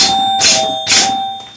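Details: Gottlieb Pro Football pinball machine during bad-relay repair work: two clear, bright bell strikes about half a second apart, each ringing cleanly. The scoring bells work properly.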